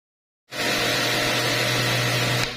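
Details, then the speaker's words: Pressure washer with gun released: motor and pump hum keep running steady instead of cutting out; pressure switch not cutting off. "ผมมีอาการที่ว่าเวลาเราปล่อยปืนแล้วเครื่องมันไม่ตัดการทำงานนะครับมันจะตุ่มนะครับ"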